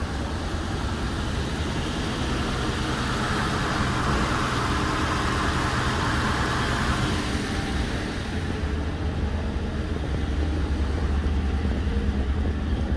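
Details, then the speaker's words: 2011 Ford Crown Victoria ex-police car V8 running after a stall from a pinched fuel line: smooth even idle under background hiss, no misses or knocks; running surprisingly good, normal. "Okay, that's what the fight. She's running surprisingly good."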